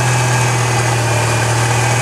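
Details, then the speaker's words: 1997 Ford Escort 2.0 SOHC four-cylinder idling after a timing belt replacement: steady, even low hum with a smooth unbroken beat and no ticks or misses, "hitting right on"; job appears successful, normal idle. "Alright, as you can see, appears to be a successful job. Sounds like it's hitting right on."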